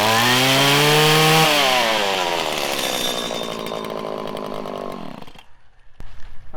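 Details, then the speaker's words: 1997 Stihl Pro Series FS two-stroke trimmer, 90-degree weather: revs climb briefly then sag and fall away until nearly dying; when head speed drops it can't pull back into the power band, which is unusual even cold; lean low-speed carburettor mixture needing adjustment. "when the the head speed slows down the motor slows down it ain't got the oomph to to push itself back up into the power band"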